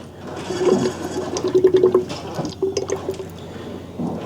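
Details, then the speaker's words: 2001 Ford Escape 2.0L during a power steering fluid flush, front end raised and wheel turned side to side: wet, bubbling gurgles from the reservoir as trapped air bubbles work out. "I can hear it gurgling away and see bubbles coming up so we're going to do that until we get all these air bubbles out"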